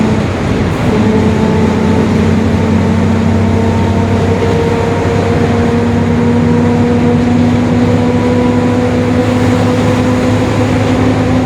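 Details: 2021 Marcopolo Torino S bus on Mercedes-Benz OF-1721 Bluetec 5 diesel chassis, extended length, urban service, recorded onboard: steady drone with a low moaning tone rising slowly with road speed, a growling rear differential.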